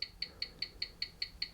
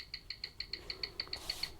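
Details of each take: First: Old antique-fair wind-up mechanical watch, previously running about 10 minutes fast per hour after a drop, on a timing machine: crisp, even ticks at five per second, 18,000 beats per hour; 83 seconds fast a day, amplitude 255°, beat error 0.7 ms; healthy. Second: Old wind-up watch running about 10 minutes fast per hour after a drop, suspected magnetized, before repair, on a watch timer that fails to read: crisp regular ticking about five beats a second; running fast, hairspring coils touching.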